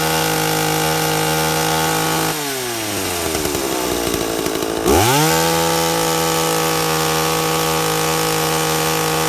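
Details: 2-stroke chainsaw with an impulse diaphragm carburettor, tuned by ear with the high jet set slightly rich. Steady high rev, then the pitch sags as the bar bites into wood and climbs back clean. A healthy, well-tuned saw under load.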